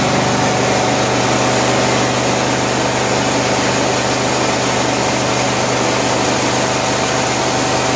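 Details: 1974 Cushman Truckster Haulster, running after a rewiring job and priming fuel by pressurizing the tank: loud, even idle with a steady low drone and no misses, knocks or surges; runs healthy.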